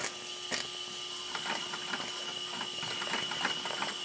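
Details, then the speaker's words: RETROL SE-02 double-acting horizontal mill steam engine with generator, reversed with the Stevenson valve lever: quick, light clicking, a bit slow and uneven; it runs slower in reverse, maybe not hot enough yet. "for some reason it doesn't seem to run as fast in Reverse maybe it's not quite hot enough yet"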